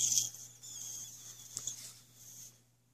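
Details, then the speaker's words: Mr. Heater Little Buddy propane heater: a thin, steady high hiss where the loosened propane cylinder meets the heater connector, with a strong propane smell; propane leak at cylinder connection. "propane coming out you hear that better put this back on it smells real bad"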